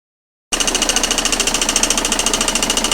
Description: Claquement du côté de la distribution qui varie suivant le régime moteur.